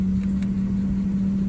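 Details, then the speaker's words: 2008 Porsche Cayenne S 4.8 non-turbo: the heater blower motor hums with a low rumble and two faint clicks, runs a few seconds then cuts out; owner diagnosed the blower motor and replaced it. "it'll come on for a few seconds you can hear it kind of humming and then it cuts out"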